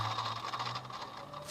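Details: 2004 Infiniti G35X 3.5 L, belt removed and fan/idler pulley turned by hand: dry, gritty rolling rasp with faint ringing, a worn bearing; alternator and steering pump quiet, engine noise gone without belt, pulley replaced.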